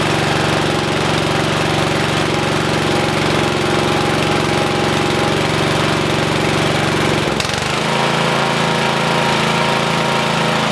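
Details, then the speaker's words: 1973 Simplicity 738 riding mower, unused about two years, just started first try with a new battery and the choke on, before its tune-up. The small single-cylinder engine chugs evenly with a steady beat, settling slightly lower near the end. Normal running. "huh that's awesome starts right up on the first try Edie it didn't need anything any kind of help or anything with a new battery it was ready to ready to run"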